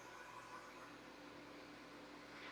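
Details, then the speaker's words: Newly built PC at first power-on: quiet, steady whirr of case and GPU fans spinning up evenly with a faint low hum, no rattles or grinding; fans healthy though no display. "yeah I can hear the fans booting up"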